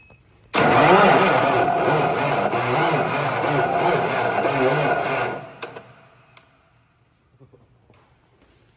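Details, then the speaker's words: Vehicle with an automated manual transmission during engine work: uneven, rough, scratchy whirring crank for about five seconds, then it quits without firing; starter sounds unhealthy after loose, warm starter wires were tightened; owner suspects a bad starter. "it sounds like the starter like it's making some weird noises in there ain't it"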